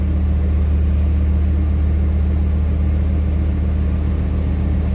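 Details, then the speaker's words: Truck with TBI and a new X-Mark fuel pump, sat for months, revved while warming up, good oil pressure and no leaks; smooth steady rumble, even firing, clean throttle pickup, no knocks or misses; normal revving. "It's got good throttle response, almost better than before. I got my fire extinguisher here, but we're good. No leaks."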